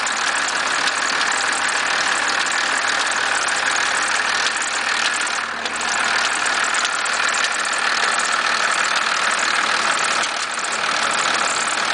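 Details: 1991.5 First Gen Cummins 12-valve diesel at cold idle after a cold start at about -10: an uneven knocking rattle of about three beats a second over the clatter. The source is undetermined.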